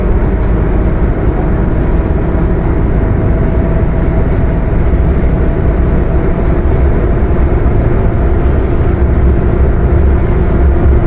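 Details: Mercedes-Benz OF 1721 BlueTec 5 bus with Apache Vip IV body, in-cab while driving: steady drone with constant faint hum over the diesel; transmission whining and roaring loudly.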